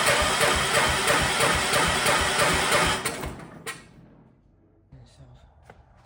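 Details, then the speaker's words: Old Kohler 4,500 W generator cranked on a small battery with no gas tank hooked up. The starter cranks steadily, about three turns a second, without catching; no fuel appears at the opened line, so no start. "It's not gonna start because there's no gas tank hooked up to it."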